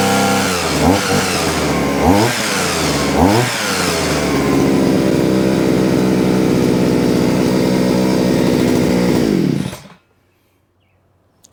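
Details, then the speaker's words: Vevor 6-in-1 multi-tool hedge trimmer attachment, whose blades jammed after hitting metal, after being freed: small two-stroke blips, then a steady high buzz with blades chattering evenly; now running normally. "Turn it on. Pull my It's working. Yeah, it's working now."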